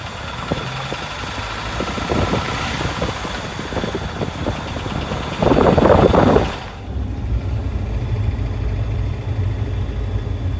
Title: 2004 Jeep Wrangler 2.4l ticking noise when accelerating